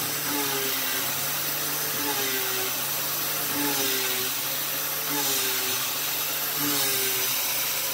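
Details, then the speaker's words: CNC adaptive clearing cut with a YG1 Alu Power 3/8-inch three-flute uncoated end mill at 0.060-inch width of cut, about 2.23 in³/min: steady high spindle hum with a cutting tone swelling every second or so, never dropping in pitch. Clean cut, no bogging. "okay well that cut like butter there wasn't uh a single hint of slow down or anything no noise or anything"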